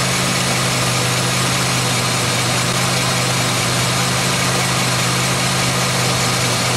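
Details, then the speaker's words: 2003 Pontiac Grand Am GT, tires off with the hub spinning, stethoscope probe held to the mic: constant rough, gritty roar with a low drone. Grinding front wheel bearing on this side, confirmed as the bad hub; the other side feels different. "I think it might just be the [Music] rotor this side has the grind oh yeah yeah it is this side for sure"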